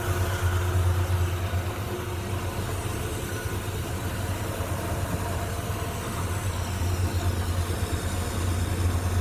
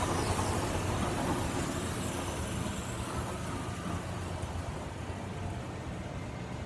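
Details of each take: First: Late-model Grob 4V-36 bandsaw running at low speed setting L1. A steady, even low hum with no rhythmic tick from the blade weld; it runs smoothly. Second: Late-model Grob 4V-36 bandsaw running in low range, gear 2, about 420 ft/min. A steady run with a fast light tick, three or four per second. The blade is straight, but a rough blade weld catches the guides, which look like new.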